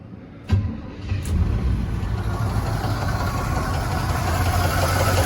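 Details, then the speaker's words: 1977 Chevy C10 V8, sitting since 2007, first start after 17 years: cranks, catches, then a rough lumpy idle with uneven clunks and ticking; owner suspects one clunk is a broken flex plate, the rest lifter noise. "one of those clunks is a broke flex plate the other 16 clunks are lifter"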